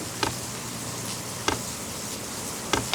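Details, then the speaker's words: Brand-new Vevor compact diesel air heater in its initial startup phase after the power button is held, drawing 113 W: quiet hum with sharp, slightly uneven ticks about once a second from the priming fuel pump; it is running after about 3 minutes. Normal. "All right, so I took to the manual here. So hold the power button down, and I hear something happening."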